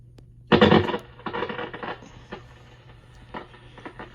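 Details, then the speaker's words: RME-69 receiver on band 1 broadcast band: irregular crackling bursts over low steady hum, stopping when band 6 coil link in RF amplifier plate supply is disconnected; arcing in phenolic band-switch wafer. "and if I disconnect band Six the crackling finishes"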